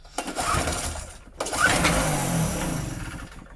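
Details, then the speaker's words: Medusa Compact 950 generator, choke on: two short firing bursts each fading within a second or two; fires briefly then dies, carburetor to be cleaned and old fuel replaced. "that's a good sign in here we're gonna whip the card off give it a clean drain the old fuel out and put some fresh in"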